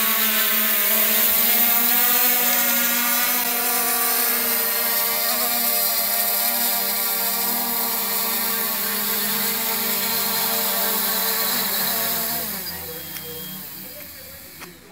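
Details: Xiaomi Midrone 4K drone after motor maintenance, after flying at about 30.5 m and coming down to land: smooth, even high buzzing whine from all rotors that holds pitch, then slides down as it lands and spins down. Normal flight.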